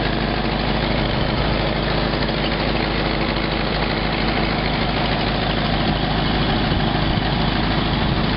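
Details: 1952 Packard idling while tracking down exhaust leaks: rapid loose puffing tick about two per second over rough low drone; exhaust leak.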